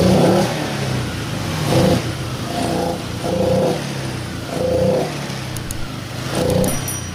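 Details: Honda Vario Techno 125, first fuel-injected Vario, owner's complaint confirmed: on initial throttle the engine is "ngempos dan ngorok", revs surge unevenly, sag and stumble with a lean-sounding bog; hesitation on initial throttle.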